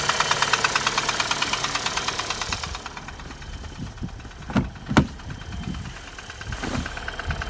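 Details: Chevrolet Cruze with 1.8 Z18 engine: a rapid rhythmic tapping knock, about three per second, at idle, then clatter on revving. Cause unknown.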